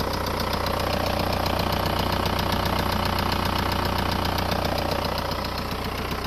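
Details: VW Golf 4 1.9 TDI diesel at idle: a strange, sharp, regular knock about two and a half per second over the diesel clatter. Engine knocking noise, source not yet identified.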